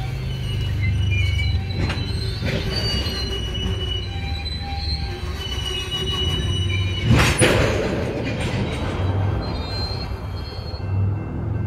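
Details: Union Pacific 6644 freight train leaving Mesa Yard: loud high-pitched wheel squeals over low rumble of rolling cars with occasional clangs; it stopped, blocked the crossing over an hour, was fixed and moved on.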